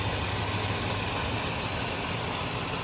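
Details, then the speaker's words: 2005 Chevy Silverado idling after a new accessory drive belt, pulley and tensioner replaced the cracked, squeaky old belt: an even low rumble with no chirp or squeal. The belt drive is healthy and the belt is on correctly. "No more squeak. Belt's on correctly."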